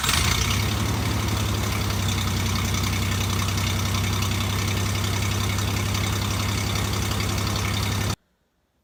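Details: Toyota truck after stolen catalytic converter, temporary ill-fitting exhaust with muffler only, not yet welded: engine catches and settles into a steady, even idle with soft low exhaust note, no rasp or leak ticking; quiet and healthy.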